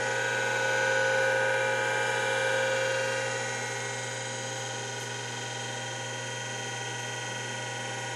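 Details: Two newer Seagate ST-225 5.25" half-height 20 MB hard drives spin up: smooth steady spindle whine with gentle even hum settling and easing off, no scraping or clicks, no error codes; healthy spin-up.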